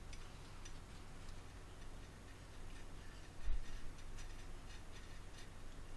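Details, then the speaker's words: WR Smith Grasshopper clock, center wheel newly planted: light, even ticks about twice a second in a quiet room; the wheels mesh and run together freely with their tilt, gear train working well. "Let's put the center wheel in there and see how it runs with the center wheel. And there we go. Right. They seem to run together, and they still got their tilt. Everything seems to be working pretty good."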